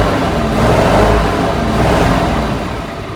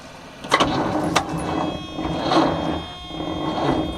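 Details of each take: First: 1976 Squarebody farm truck V8 sitting 20+ years, running off an auxiliary fuel tank with the carburetor now secured: deep, even rumble, steady, no misses or knocks. A normal idle. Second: 1976 squarebody farm truck, sat 20-30 years in a field, first crank attempt on a used donated battery: labored, slow, uneven starter whir with no firing; battery too weak, jump pack to be added.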